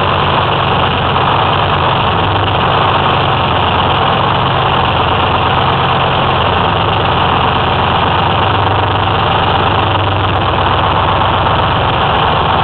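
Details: 2004 Ford F-350 with 6V53 Detroit Diesel two-stroke and MT-653 Allison automatic, first start after installing an eBay rebuilt blower (old one leaked oil at end-plate seals), air shutoff fitted: steady even idle, deep drone with busy rasp, no knocks or surging; normal idle.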